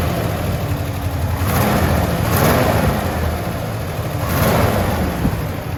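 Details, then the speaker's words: 1974 International Harvester pickup V8, first run in a long time: surges on throttle with a choppy uneven beat, missing pulses; sounds like only four or three cylinders firing, cause unconfirmed. "this is excellent that sounds like four cylinders there that sounds like four cylinders there i think maybe three it's the first time it's ran in quite a while"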